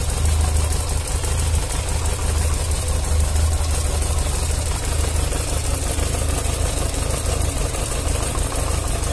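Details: Yamaha XJ600S Diversion four, cold start, from a before-and-after repair comparison (oil change and other work): settles into an even, deep idle with no knocks or rattles; the owner heard little difference after the work.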